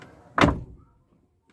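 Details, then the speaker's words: Car door rattle fix after the door pocket was emptied of metal and plastic items: the door shuts properly with a single solid thud, then stays quiet with no buzz or loose rattle. No rattle remains. "अब देखो मैं बंद करना इसको ठीक से बंद नहीं हुआ था देखो कोई आवाज नहीं है"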